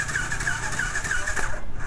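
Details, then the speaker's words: Yamaha R15 V2 that won't start, cranked during a finger-over-spark-plug-hole compression test, with no pressure felt on the finger. Fast, even chug with no resistance between strokes, the engine spinning too freely: low compression. "Compressor नहीं है, गई भैंस पानी में।"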